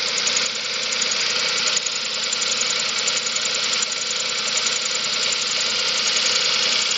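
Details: 2005 Chevrolet Spark 0.8 (Matiz engine), cold idle in rain: uneven light top-end tapping over rain hiss; owner suspects valves (not yet adjusted) or camshaft; timing belt and rollers replaced 5,000 km ago.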